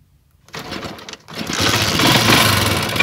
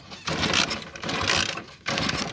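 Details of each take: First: Motorcycle with an anti-theft switch in a wire to the CDI, switch on: a short crank catches and settles into a quick, even putter at about four beats a second, starting and idling fine. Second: Motorcycle with an anti-theft switch cutting the current from the stator, switch off and key on: three short bursts of fast whirring cranking and none catch, since the ignition gets no current.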